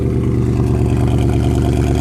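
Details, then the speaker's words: Mercedes C63 AMG, freshly rebuilt M156 V8 with headers and tune, cold start on freezing night, coolant level warning; deep even rumble at fast cold idle then idling down, no misses, knocks or smoke; healthy. "no smoke sounds beautiful these Tunes get rid of that high idle cold star which I guess is good for the engine"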